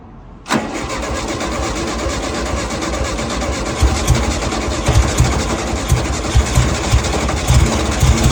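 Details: Abandoned, salt-corroded VW dune buggy (VW chassis and air-cooled VW engine) first start after cheap rebuild, coil rewired and fresh oil: brief crank, then catches cleanly into steady, even idle with no misses or knocks; engine okay, front carburetor leaks at hose connection.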